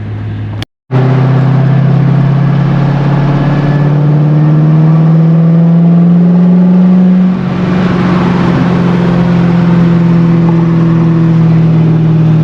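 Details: C5 Corvette, manual, hot day, pulling away from a light after the intake was reinstalled; pitch rises evenly, one clean shift around seven seconds, smooth and strong; owner says it's peppy and running fine.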